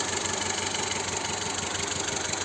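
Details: Car parked, engine idling with shaking: hissy top end and an uneven pulse of about eight beats a second that stumbles; misfire rough idle on one cylinder being traced, injector check planned.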